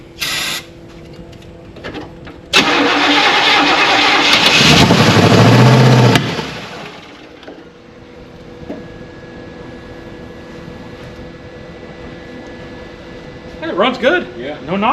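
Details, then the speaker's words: 1967 Buick Riviera engine, first start after over 20 years in storage, after cleaning and readjusting the points and cleaning the cap: catches and roars roughly for a few seconds, then shuts off after a backfire; no knocking. "But the motor sounds good. Doesn't have any kind of knocking or anything like that."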